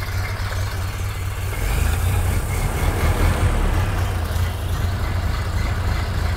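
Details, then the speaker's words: 1929 Ford Model A roadster four-cylinder at first start after replacing the fuel line and fuel filter assembly: a deep, steady rumble with an even beat and no knocks or misses. It idles smoothly and is healthy. "all right it runs we didn't make it worse"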